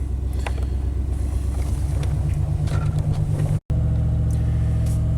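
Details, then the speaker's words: 1991 Chevy K1500 V8 at warm idle in closed loop, oxygen sensor relocated downstream of aftermarket headers, catalytic converter gone: idle steady but way too high, persistent unresolved idle problem. "The truck is still idling way too high."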